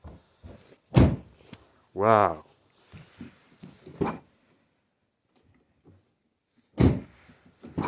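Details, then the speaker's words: Alfa Romeo 159 front door after replacing the door limiter/check strap (part 0060690659-001): clean openings and closings with solid thunks, no clicking or knocking from the strap; normal door operation. "this is nice it is like opening the door of a brand new 159"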